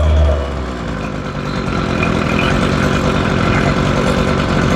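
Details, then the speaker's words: Ryobi two-stroke weed eater, cold start after new carburetor, fuel lines and ignition switch: putters slow and slightly uneven, close to stalling; idle speed set too low, to be turned up. "or maybe not that way she's idling a little bit low we're gonna turn the island up just a bit"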